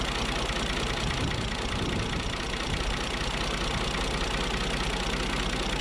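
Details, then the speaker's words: Long 2510 diesel tractor, first start attempt after pressure washing, fuel lift pump needing replacement: steady low rumble with an uneven, laboured beat and no clean firing rhythm. Slow cranking and hard start; owner suspects the battery is down. "uh sounds like my battery's down"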